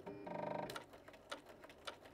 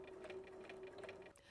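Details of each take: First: Bernina CB sewing machine running straight stitch before cleaning and oiling, with a new needle fitted: sharp, loud banging knock about twice a second; suspected dirt and lack of oil. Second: Bernina CB sewing machine after cleaning and oiling, previously banging noisily, sewn slowly on the foot control: light, even stitching clatter with no scraping or catching; normal sewing.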